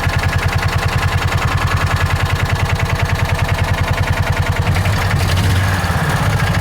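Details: John Deere Gator 4x2, after adjusting carburetor idle and jet mixture: even, steady thumping idle at about 1140–1150 rpm, no hunting or stumbling; normal idle.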